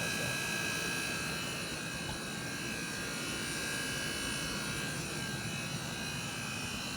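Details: MG4 with air conditioning on, heard under the bonnet, sound seeming to come from one side: a steady high-pitched buzz with fixed tones over a quiet hiss; cause unknown, owner assumes it isn't normal.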